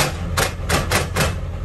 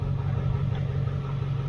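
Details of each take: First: 28-year-old OBS Ford F350 manual, engine running, clutch pedal to floor yet fifth and third won't go in: four harsh rasping grinds as gear is forced; clutch not releasing fully, owner suspects faulty slave cylinder. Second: 28-year-old OBS Ford F350 manual after clutch slave cylinder replacement, shifting through gears with engine running: steady low hum, soft clicks as gears engage, no grinding; clutch pedal firmer, releases cleanly, shifts smooth.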